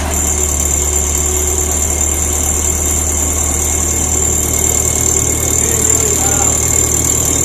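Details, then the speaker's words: Nissan S14 Silvia SR20 after front mount intercooler, aluminum radiator and seal work: steady idle with high thin whine and uneven rattle on top; abnormal engine noise, cause not yet found. "what a terrible sound like unreal so I guess the next video will be trying to troubleshoot that"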